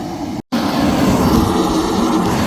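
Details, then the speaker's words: Propane construction heater from a Sunbelt Rentals auction, regulator OK, turned up to high: steady, even roar of fan and flame, no sputtering, popping or surging. Burner lit and running normally. "there we go turn it up to high give it a second yep and there it just lift so that one's good"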